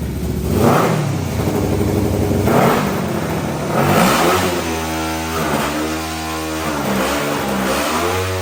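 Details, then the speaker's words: 500cc mini bike engine after carburetor tuning and new full stainless exhaust with high-flow muffler blips up and drifts back slowly, never fully revving out; rev hang, owner suspects it is still running lean. "it still has some rev hang I think and like it doesn't rev out quite all the way I don't know I got to figure it out I think it's still running a bit lean"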